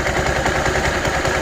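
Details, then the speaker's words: Scooter idling: rough, gravelly rattle and grinding from the CVT caused by a dry drive belt; quieted by applying a little high-temp grease to the belt. "Ya. Ini biasanya karena fan belt-nya kering."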